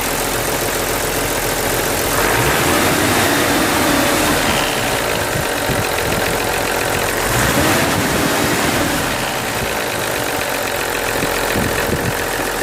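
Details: BMW Z3M/M3 S50B32 engine: dry, uneven rattle at low rpm, swelling after gentle revving; classic VANOS rattle caused by failed seals, blocked filters, worn bearings and cam gears.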